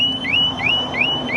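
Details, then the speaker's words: Harley-Davidson Tri Glide with HD Smart Siren 2, triggered by hard shaking after chirps: loud, high siren sweeping about three times a second over faint engine hum, sounding about 28 seconds with lights flashing, working as designed. "now that'll go off for 28 seconds goes off for 28 seconds and all the lights Flash and it's rather loud"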